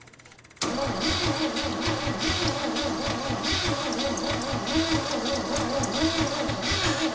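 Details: 1963 Chevrolet C10 with a 230 cu in inline-six and 3-speed manual, last tagged in 1984 and long sitting in a pasture, cranked after ignition parts were replaced and spark confirmed: long, even cranking with a steady low chug, but no firing; no start.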